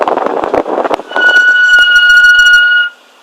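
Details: BMW M5 brakes: sharp steady high-pitched squeal for about two seconds as the car slows, then stops; brake squeal.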